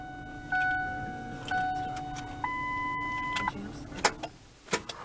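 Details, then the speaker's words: 1996 Ford Explorer, raised off the ground, battery low: dash chimes, then one sharp click on turning the key and no cranking; starter not engaging, starter solenoid suspected and being replaced. "click and nothing just like when the starter motor was bad"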